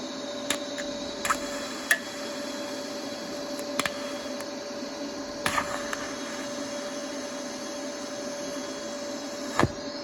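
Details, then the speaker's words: Cast iron block plane weld with Easy Weld no-preheat TIG filler, after tungsten stuck and got coated in filler: sparse sharp ticks, about six in ten seconds, over a steady welder hum as the weld cracks while cooling. "Yep, stuck the tungsten, got it coated in Easy Weld again, and I can hear that cracking."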